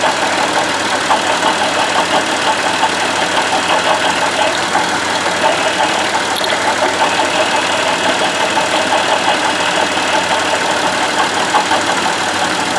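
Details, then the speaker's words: Buick Lucerne, mic near front of running engine at idle: steady gritty whir with faint irregular rattle; water pump pulley has bearing play, alternator and idler pulley sound normal; worn water pump bearing noise. "all this sound is coming out of this water pump"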